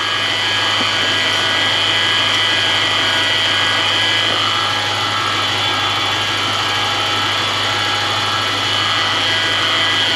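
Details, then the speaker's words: Lexus/Toyota 3UZ-FE V8: constant high-pitched whine over a busy, chattering engine front, checked with a stethoscope on rotating assemblies; a bearing whine. "I'm not sure this noise is going to pick up but it's not pleasant lots of noise"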